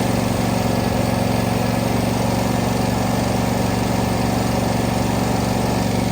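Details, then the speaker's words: John Deere D130 mower, first start after carb cleaner hits, now running on tank fuel: steady even V-twin putter at constant speed, no misses or knocks. "Well, that might just be running. I think she's running on the gas in the tank now."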